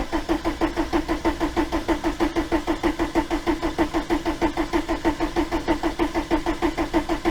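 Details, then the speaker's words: 1987 VW T3 camper with AHU TDI engine, after fuel pump replacement: it cranks freely at about three compression pulses a second but never fires, and the pump seems not to pull fuel; crank, no start. "i think it's just not it's just not pulling i'm not inclined to kill the starting motor but i need to get the fuel"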